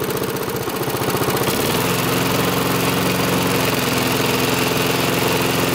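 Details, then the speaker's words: Rickel lawnmower, small single-cylinder engine, idling after the fuel was turned back on following a bad fuel leak: rough for the first second and a half, then a smooth, even putter; the carb is no longer leaking and it runs normally. "okay carve doesn't seem to be leaking it's running fine"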